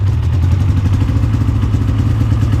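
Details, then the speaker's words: Polaris Indy 600 two-stroke snowmobile at idle: lumpy, choppy, lopsided beat, sounding like it runs on only one cylinder; owner suspects a fouled spark plug, main issue later found to be a plugged fuel filter. "uh yeah it sounds like this thing's only running on one cylinder here uh that ain't good either"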